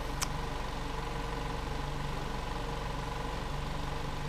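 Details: 2014 VW Jetta 2.0L idling with raw fuel smell, rich exhaust, extended crank and flashing check engine light: slightly uneven idle pulses with a stumble; P0302 cylinder 2 misfire from a leaking fuel injector.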